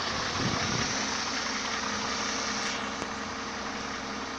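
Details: Mercedes OM272 engine at idle: a light, sharp knock about three to four times a second over a steady hum. Internal engine knock.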